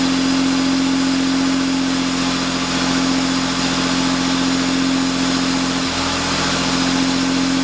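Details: 1990 Chevrolet Cavalier Z24, first start after an 18-month restoration with rigged wiring and a temporary intake: steady, even idle with no knocks or misses; oil pressure good, some steam and smoke, no exhaust leak suspected.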